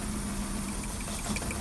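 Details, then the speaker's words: VW Golf 1.6 petrol (2003 onwards), engine light on, running lumpy and misfiring, idling during a coil lift test: a faint even ticking, and the note roughens as each working coil is lifted. The cylinder with no click and no change has a failed ignition coil, which is replaced. "the one that has no clicking that's the cylinder that's got the issue if there is no clicking it means that the ignition coil was failed"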